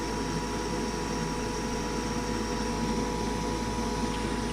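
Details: Goodman furnace with a pressure switch fault, after the hose was refitted and the unit switched back on: a steady even hum with a faint fixed tone, no rattles or surging; the inducer motor runs smoothly, status light now steady.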